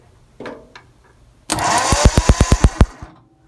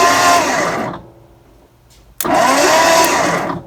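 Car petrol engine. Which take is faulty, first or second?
second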